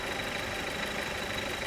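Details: Car at idle with the clutch released: a steady rough, gritty idle noise with a faint high whine on top; the noise goes away when the clutch is pressed.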